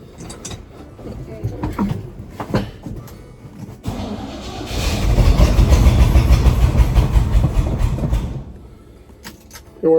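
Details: Old GMC Squarebody K10 sitting about ten years, mechanical fuel pump: starter churns the engine at an even rhythm for several seconds but it never catches; fuel not reaching the carburettor, likely old or bad fuel.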